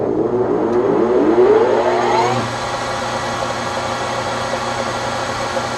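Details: Webb Whacheon lathe on a phase converter, at the 1010 rpm setting, quick-change gearbox in neutral to cut starting load: motor whine climbs smoothly as the spindle spins up, then holds a steady even hum; starts and runs fine, no trip.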